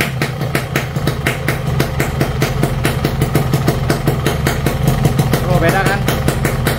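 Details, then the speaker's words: Yamaha RX King two-stroke after loose magneto (flywheel magnet) re-riveted; previously wobbled slightly and sounded rough: steady, even idle with regular low putter, no wobble or knocking; normal idle after repair. "Adam suaranya sekarang n teman-teman sudahah dengar ya suaranya beda jauh ya sama yang kemarin magnetnya goyang walaupun cuma sedikit"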